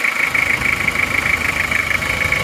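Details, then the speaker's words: Toyota Kijang diesel 2L, rebuilt with new liners and original pistons reused after 2 mm ring gap caused oil burning and blow-by, idling after 3 km of driving, still breaking in: crisp, even clatter with steady whistle, smooth healthy idle. "ini adalah bunyinya mesin Panther mesin Kijang diesel ini setelah kita pakai sejauh 3 km ini bunyinya seperti ini teman-teman ini masih akan kita rayon karena ini linernya baru Saya rasa untuk suara sudah bagus sekali renyah dan halus rata"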